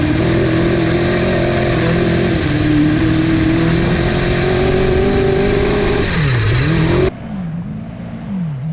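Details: Honda CBR1000 engine in a home-built off-road buggy, after gearing and shifter fixes and repeated oil changes. Revs held high with a rough, raspy edge and uneven beat under throttle, then drop away; a miss is suspected, possibly junk needing to be cleaned out, cause unconfirmed.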